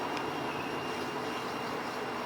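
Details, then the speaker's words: Toyota 7M-GE engine, rebuilt with valve seats reworked, running out of the car on a dolly: steady, even high whirr with a faint fixed whine and no surging or rattle; fuel pump running normally when connected. "but now when we as soon as we connect this fuel pump's gonna come on as you can hear it"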